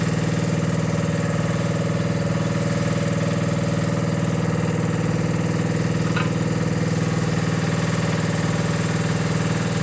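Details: Mini digger diesel, previously not starting (lazy starter motor suspected), gives a steady, even beat of about two pulses a second with no knocks or misses; normal running.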